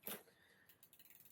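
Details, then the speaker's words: Old-school Claud Butler mountain bike being revived: crisp shift click then even freewheel ticking about thirteen a second, no grinding or chain skipping; shifts up and down okay, one shift needs almost a double shift, adjustment wanted. "I think it shifts up and down this okay. Yeah. There you go."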